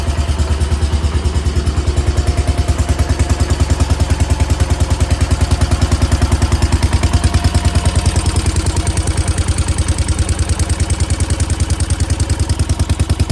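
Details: 1968 Case 155 hydrostatic garden tractor, sat over 20 years: steady, even low thumping at roughly three beats a second, no misses or hunting; normal idle.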